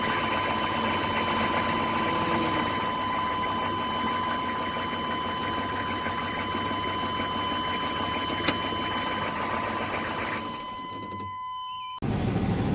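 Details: 1996 GMC Sierra HD with the 6.5 diesel, freshly washed: steady, even diesel clatter at idle with a faint whine on top, no misses or knocks; the engine idles normally.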